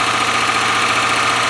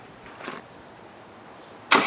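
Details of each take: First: 1997 Land Rover Discovery 1, first start, started by jumping the starter with original ECU, engine oil low: steady idle with fast light ticking from the top end; tappets a little noisy. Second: 1997 Land Rover Discovery 1, started on a battery that isn't the right one after an oil top-up, with a leaking front oil seal: a short crank, catches at once, flares and settles into a smooth, even idle.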